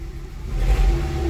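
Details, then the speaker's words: 2006 Nissan Altima after engine computer replaced with a used unit and programmed, crankshaft sensor code stored: uneven, lumpy low rumble, stumbling and surging, with delayed starting; misfire still present. "ll i have a misfire you hear it still you have misfire i see also you still have a delay on starting"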